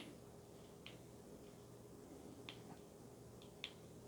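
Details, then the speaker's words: Redcat Racing Gen8 RC crawler, transfer case output shaft rocked by hand: sparse light clicks about once a second revealing excessive free play, with pin hitting the bearing when play stops. "Alright, this might even show you even more so how bad it is. Alright, there we go. Boop, boop, boop, boop. You can actually hear it."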